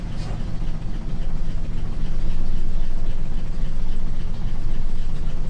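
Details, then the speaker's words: 1967 Ford F250 V8, first start in 30 years after sitting in a field, oil pressure unknown: deep, even burble builds then holds a steady smooth idle with no knocks or misses; revving later brought a clank. "but this thing just runs runs pretty good runs pretty dang good"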